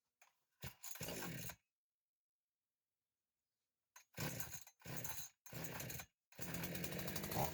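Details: Chainsaw restarted after carburetor cleaning and primer hose replacement, run outdoors: a few pull bursts then it catches and holds a steady high-rev buzz without dying; faults were primer hoses, fuel filter, dirty sediment bowl, carburetor needing adjustment. Normal start and run.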